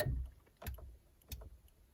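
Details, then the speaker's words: Honda Civic EK4 rear defrost circuit with ignition on and button pressed: three sharp relay clicks about 0.7 s apart in a quiet cabin; the defrost relay switches normally. "Donc là, je mets le contact, j'appuie et on entend bien le relais qui claque. T'entends ?"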